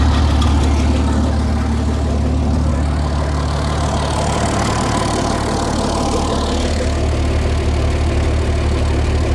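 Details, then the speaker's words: 60-year-old International 6x6 army dump truck, sat about 10 years, engine possibly a retrofitted crate engine: deep, even idle with a steady low beat and no piston, gudgeon-pin or tappet rattle; runs smoothly like a new engine. "I think this truck's been retrofitted with possibly a crate engine, which is a brand new engine in my eyes anyway. Just the way it runs, you cannot hear any any piston rattle or gajon rattle. Can't hear the tapets rattling."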